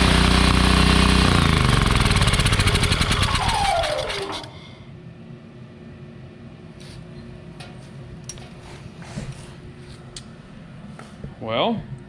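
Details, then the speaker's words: Wen 8750-starting/7000-running watt generator bought not running, with oil and good compression, started on starting fluid: screams at high hard revs then cut and winds down; overspeeding, owner suspects gummed-up carburetor from stale gasoline. "I noticed it was it was revving pretty good it shouldn't be running that hard I don't think"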